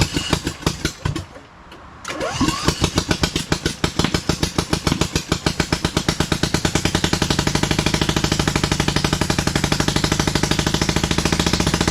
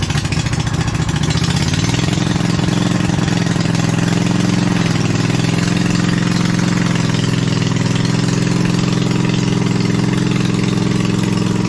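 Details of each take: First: 27hp engine fitted to a Lesco Viper 54" zero-turn mower: cranks, catches and thumps in a slow, lopsided beat, low on power, really running on only one cylinder. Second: Replacement 27hp V-twin in a Lesco Viper 54" zero-turn mower, muffler on only one pipe: steady, even drone that rises a little, then holds a smooth idle with no misses or knocks; healthy.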